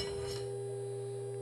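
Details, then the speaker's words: DIY linear motor running with aluminum secondary levitating: steady pure whine with low hum underneath and no pitch change, caused by the loose coils vibrating; coils getting warm; coil vibration whine. "okay so that whining you heard um that was the coils vibrating"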